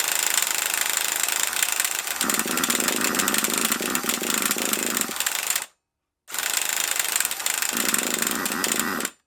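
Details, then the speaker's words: HotBodies 3.5 nitro engine in an HPI Savage 21, cranked by the starter in two long high buzzing bursts. It fires faintly and irregularly but never catches, so it cranks without running. "it's trying can you hear it it is firing just not enough yet"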